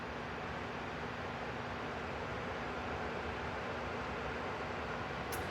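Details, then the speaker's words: Lasko T42951 42-inch oscillating tower fan used in a garage gym, just switched on. A soft, even airy hiss with a faint steady hum and no rattles or ticking. Very quiet, normal running. "But all you do is just plug it in, turn it on. You hear it's very quiet."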